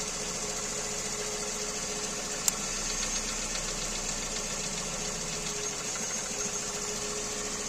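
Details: Kia Rio 2 with G4EE engine at idle: high-pitched whistle with faint repeating light knocks beneath; engine knock of undetermined origin.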